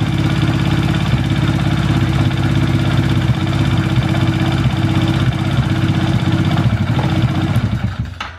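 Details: Quad with rewired electrical system and starter relay connected: steady even idle with no misses or knocks, then clean cut-off as ignition is switched off.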